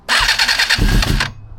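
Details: Non-running ex-race Suzuki GSXR 400 GK76A, new battery, in neutral, airbox tubes off, no choke yet: starter whirs with fast high chatter about a second, then a few low thumps; engine cranks but won't start.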